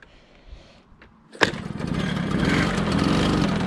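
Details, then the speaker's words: 1987 MBK 51 Magnum two-stroke moped, as bought before renovation with clutch shoes suspected worn: restarts possibly needing choke, after clatter settles into a loud rattly buzz at idle; noisier than it should be, cause unknown. "Bon ça fait du bruit, hein. Ça me plaît pas, hein."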